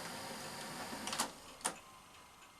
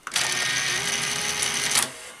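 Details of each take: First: Sanyo VTC-MH5 Japanese NTSC Beta Hi-fi VCR after power supply repair, lacing a tape: quiet even motor whirr with sharp mechanism clicks; motors now at sensible speed, normal tape transport. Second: Sanyo VTC-MH5 NTSC Beta Hi-fi VCR, lacing: short high-pitched whir lasting under two seconds, much quicker than normal. Lacing motor runs too fast; owner suspects an overly high power supply voltage line.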